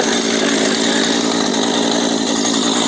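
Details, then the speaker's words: Chainsaw that sat unused over a year would not start; a fouled spark plug was replaced and it now runs, but it idles with a buzzy rasp while the chain keeps running because the clutch is not disengaging. "ตัวนี้เดี๋ยวจะมาหาสาเหตุที่โซ่มันวิ่งนะครับเวลาเดินเบาครับเดี๋ยวคลิปหน้าครับเดี๋ยวรอชมว่ามันเป็นอะไรทำไมโซ่ไม่หยุดหุนนะครับ"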